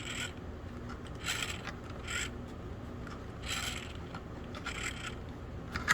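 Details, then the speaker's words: Neglected SCX24 RC crawler: rough scraping and ratcheting from the rear axle, which binds and locks before one full rotation; worm gears suspected bad. "the back end or some crunchy noises coming through uh none of my STX 24s can you do this but this one will do it and then it just binds up I don't know if you can hear it grinding or not though and right it won't go any further there and now it's just stuck"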